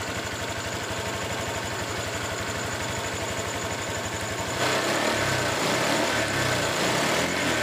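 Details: Honda Vario 150 scooter after repair of rough, rattly engine noise (owner links it to late oil changes); warm after about 20 minutes running, idles with an even, steady pulse, then blipped to a louder, smoother rev; no cylinder head leak found.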